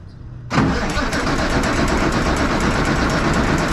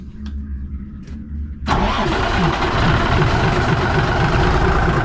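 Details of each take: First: 1965 Kenworth W900 Cummins diesel, wouldn't start for 3-4 years, new starter, clutch down: starter spins engine with steady chugging churn but it never fires; no fuel coming out of stack, crank no start. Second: 1965 Kenworth, non-starter for 3–4 years, after new 12V starter and overhead adjustment, jake brakes removed: quiet cranking, fires in under two seconds into strong, even idle, no white smoke.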